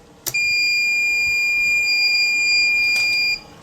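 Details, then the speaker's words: Smarten Saver 2000 inverter on bench, battery connected so 12 V reaches the relay: a sharp relay click, then one steady high-pitched beep for about three seconds at switch-on. Normal power-up. "अब जैसे ही हम battery से इसको connect करेंगे तो relay पे जब volt आएगी तो ऑपरेट होगी। इसमें आवाज आएगी।"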